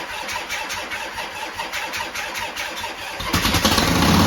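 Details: 1972 Harley-Davidson Sportster first start after sitting 32 years, new starter, solenoid, regulator and wiring: starter cranks, V-twin catches and races to a harsh, fast idle because the throttle cable was hung up inside its sleeve.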